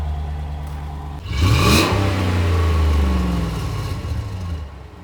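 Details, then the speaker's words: 2015 RAM 5.7 HEMI V8 after aftermarket headers, passenger-side header reinstalled with a Fel-Pro gasket: deep even idle burble, quick blip, settles smoothly with no ticking; exhaust leak fixed, the kit's included gasket had leaked. "that definitely has a better sound all right folks so that fixed the exhaust leak on the passenger side"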